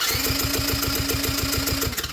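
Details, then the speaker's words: Quad that stopped running, first thought to have no spark: quick even cranking with steady starter whine, no firing or compression pulses; no compression from an intake valve left open and leaking. "no there's nothing not a dang amount of Squish in this engine"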